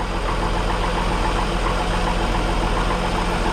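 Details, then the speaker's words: 1961 Ford Falcon Delivery, cold start fully choked after exhaust leak repair using 66 Mustang manifold and mixed-year parts, first start in a week; choke eased off while warming; steady smooth idle, no exhaust puffing or ticking. "just letting your warm up and pulling the choke off slowly wow that worked really good"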